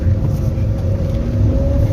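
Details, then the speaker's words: Toyota Etios engine running smooth and steady with an even mid-pitch drone, no knocks or misses, after carbon cleaning; owner says it feels like new, where before it sounded rough like an old car. "ఆ బండి అయితే smooth గా అనిపిస్తుంది ఇప్పుడు కొత్తగా"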